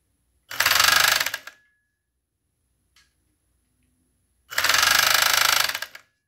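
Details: Chinese FN2-7D overlock sewing machine stitching fabric: two bursts of fast, harsh, very loud rattling clatter with quiet between runs; cause not identified. Loud mechanical noise while sewing.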